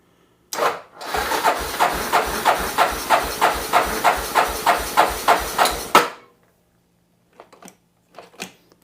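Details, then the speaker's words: 1988 Yamaha Terrapro ATV, project that had stalled, on a jump box reading 12 volts: slow, labored cranking at about three turns a second that never catches; owner suspects a failing starter not turning it fast enough. "and there's our starter acting up again I think what we're going to do guys that starter I think it's not tur it over fast enough first of all could be partly our jump back"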